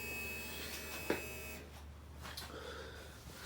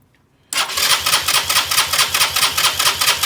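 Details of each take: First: 2020 Keeway RKS 125 fuel-injected motorcycle that won't start: a faint steady electric buzz of about 1.5 seconds that cuts off cleanly; normal fuel pump prime. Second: 2020 Keeway RKS 125 fuel-injected motorcycle, noid light on the injector: starter cranks at a steady, rapid beat but it never catches; no injector pulse from the ECU, so no fuel delivered, crank no start.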